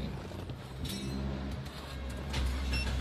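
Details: Mitsubishi Xpander, cabin recording from the passenger seat while the steering wheel is turned after front suspension parts were restored to stock: only low road and engine hum, previous steering noise gone, no creaks or clunks.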